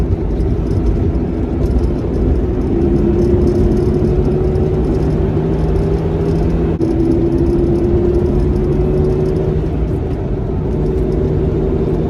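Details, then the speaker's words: 2003 Honda Element on test drive after replacement AutoZone axle, about 45°F winter: low steady drone rising with speed; not fixed by the axle, owner suspects a wheel bearing, unconfirmed. "i don't know if you can hear that but the noise that i'm complaining about is still there and it's definitely like a wheel bearing type noise"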